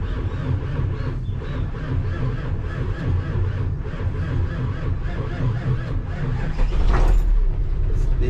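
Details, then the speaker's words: 1984 Nissan CKA50BT tractor truck, RD8 14,313cc V8 diesel, after servicing a starter with seized brushes and burnt armature: slow, laboured crank at three to four beats a second under heavy rumble, not firing; still slow cranking. "is tumbling but it's still tumbling very um dead it's not tumbling like it should be"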